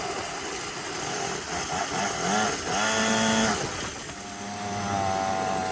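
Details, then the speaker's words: 49cc dirt bike, newly installed replacement engine, fresh gas, being broken in gently: high buzzy single rises and falls smoothly with light throttle, no knocks or misses; healthy fresh engine. "Just breaking it in. We don't want to go too crazy. But we want to see what it's doing a little bit."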